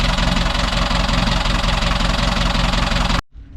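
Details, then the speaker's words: Boat diesel engine after a month of repairs following heavy smoke on startup; steady diesel clatter at roughly 220 beats a minute, the old constant rattle in neutral now gone; idles healthily. "Ooh, sounds good. That's the best it sounds since I owned it. There used to be this rattle all the time in neutral, and it's gone."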